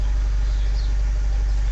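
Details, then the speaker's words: Vauxhall Vivaro van idling after a temporary fuse fix cured its crank/no-start following a clutch replacement: a smooth, steady low rumble with no misses, knocks or rattles. "And the van is running, so happy customer."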